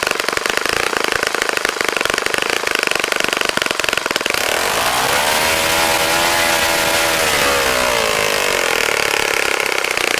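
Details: Saito FA-65 model four-stroke, first run after rebuild, APC 12x6 prop, Morgan's Omega 10% fuel, Fox Miracle plug: loud crisp high buzz held steady, then easing down to smooth lower drone; normal healthy running.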